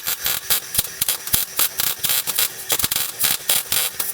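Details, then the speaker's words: MIG welding tacks on a '67 Nova lower control arm after turning on shielding gas (earlier popping with no gas): crisp steady frying crackle in short bursts; normal welding with gas flowing. "Now there's gassing. I was like, hey, that's the sound of no gas. There you go, that sounds better."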